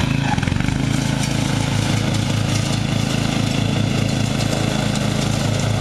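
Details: Murray riding mower, first use this year after long shed storage and a mice nest cleaned out, chugs unevenly and nearly cuts out after cutting half to 3/4 of the lawn; owner unsure, maybe overheating, and may be simulating it with the choke.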